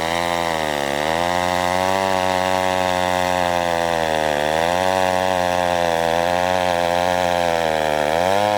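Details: McCulloch 1-42 two-stroke chainsaw, restored project saw, cutting wood: high steady buzz dips briefly as the chain bites, then recovers cleanly; pulls healthily under load.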